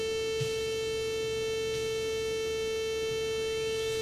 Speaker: here's what it sounds like on a 64 that works but has a bad sid chip or something going on with the audio [Music] you hear that tone in the back already right that constant tone